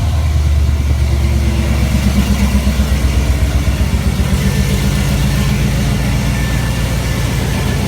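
Even, low idle with a steady throb and no ticking or puffing from the exhaust side; sounds sealed and healthy.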